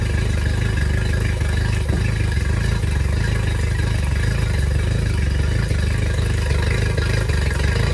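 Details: Yamaha T50TLRD 50 hp outboard after head decking and a new head gasket, running loud and steady with an uneven, stumbling beat about twice a second; one cylinder missing.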